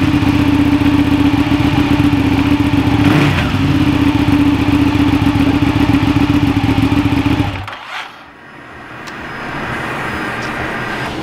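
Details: Ducati Panigale, first start in neutral on stand after fitting clear clutch cover with OEM O-ring: catches and holds a smooth, even, quick beat about eight seconds before cutting off; healthy start-up and normal idle.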